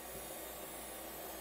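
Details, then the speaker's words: Barn-find AST Adventure! 200 desktop (AMD K5, Windows 95), booting on a different power supply: steady airy whir with faint hum; the hard drive runs noticeably loud, cause unknown. "that hard drive is quite loud I can't tell if it just wants me to go okay it is still doing something"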